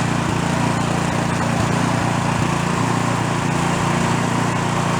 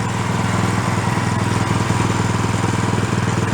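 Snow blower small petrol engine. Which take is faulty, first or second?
first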